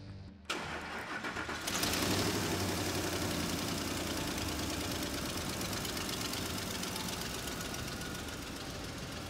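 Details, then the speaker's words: Normal start and idle on a 2004–2008 Ford F-150 5.4L after replacing an ignition coil: a short crank, a flare on catching, then a smooth steady idle. The misfire is gone and no codes return. "so we solved the problem sounds like to run a lot better now so that was pretty easy fix we got rid of that misfire"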